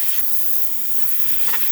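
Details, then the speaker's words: Breville espresso machine after full professional tune-up: strong steady hiss of dry steam from the wand, no sputter or surging, water pump pulsating; excellent pressure and temperature, working properly. "As you can see, machine's feeling pretty good, having excellent pressure coming out of the steam one, really good temperature."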